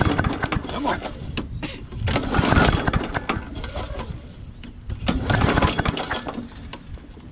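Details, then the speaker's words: Old Murray push mower, primed, in cold weather: repeated rasping pull-cord bursts with the engine coughing but never catching into a steady run; hard starting, cause not confirmed. "It's been a little cold out. Give it a second. Alright, I'm going to keep trying."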